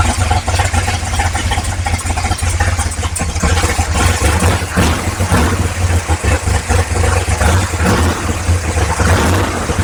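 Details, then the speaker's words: 1955 Chevrolet big-block V8 on first start, with oil pressure: deep lumpy burble, one side much louder; exhaust cutout/muffler on one side seems closed, owner wonders if jammed or disconnected. "think that muffler is closed and that one is open it sounds way louder on this side than that side so weird I wonder if it's jammed disconnected or what"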